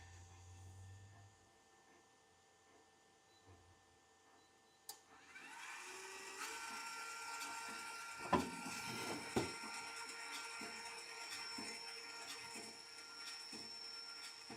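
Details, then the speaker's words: Skywalker V1 drum motor running, compared with the V2: quiet at first, then a steady whirring hum with a few handling bumps; sounds normal, not as bad as remembered though a little louder than the V2; V1 drum motors have a plastic gear. "honestly these new units have a lot better like I think they have a lot better drum Motors in the B1 cuz this doesn't sound as bad as I remember but you could tell that it's a little bit louder right"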